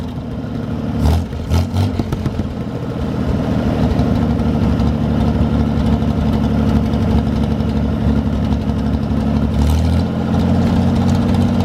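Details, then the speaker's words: 1973 GMC 432ci V6 engine, out of a parted-out truck and sitting unstarted almost five years, run after light prep: even, steady idle with quick throttle blips, smooth beat, no knocks or misfires; normal idle, healthy. "figured today was a really great day to get the thing cranked up and see how everything sounds and it looks like we got a nice engine to work with"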